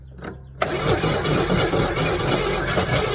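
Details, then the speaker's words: 1981 Chevrolet Camaro 3.8 L V6 sitting since 1989, first start attempt after a battery hookup: after a short crank it catches and stumbles unevenly with only one or two cylinders firing, never settling into an idle; rough running on one or two cylinders. "Sounds like we only had one cylinder there. Only one happy cylinder. So um it did try on one maybe two cylinders it tried to fire off which is I guess something."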